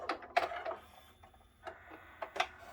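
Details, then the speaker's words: Yamaha CDC-755 five-disc CD changer whose tray would not come out, after repair, pressing open/close: a few soft clicks and a short quiet motor whir as the tray runs out smoothly; loading mechanism working normally. "there it comes and it's you know it's got power"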